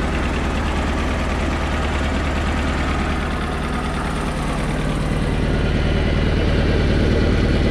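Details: Mercruiser inboard after starter solenoid replacement, starting first try without pumping: low, steady rumble with an even beat at idle that firms up slightly toward the end; normal idle.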